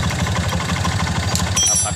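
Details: Honda Mega Pro motorcycle being repaired for lost ignition, started in neutral with the battery negative disconnected after replacing the blown part. It idles with a steady, even low thump and no misses or stumbles, a normal idle.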